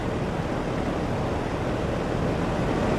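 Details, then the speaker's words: Kenmore Roll-A-Matic box fan, 23 in, speed dial turned all the way to highest: steady even rush of air with no knocks, rattles or wobble; motor runs smoothly at high speed. "all the way towards the highest position. And this thing is moving some good amount of air a good distance."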